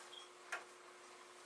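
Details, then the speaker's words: Commodore SFD-1001 IEEE single disk drive on a Commodore 8296 running a small test program: drive spins, two quiet crisp clicks about a second apart over faint hum as the head steps between tracks normally. "and we hear the drive spin which is more than what the other did and if you listen carefully you can hear that it is going"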